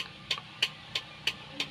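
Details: Kia Bongo hazard flasher after repairing the right-side turn signal wiring: crisp, even clicks about three per second, the flasher working normally.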